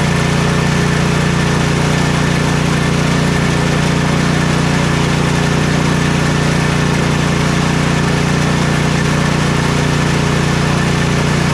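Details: Troy-Bilt Storm 2420 snowblower (model 31AS6KN2B23) after ultrasonic cleaning/rebuild of its Huayi carburetor for won't-start/surging complaint: small single-cylinder engine idles smoothly with steady low drone, no surging or misses; smoke is only muffler debris burning off. Normal idle.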